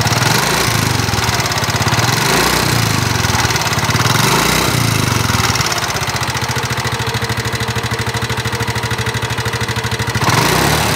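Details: Nmax (2019) scooter, engine recently repaired with piston and block replaced per owner. Fast, uneven ticking over a rough idle; harsh mechanical knock, cause unconfirmed.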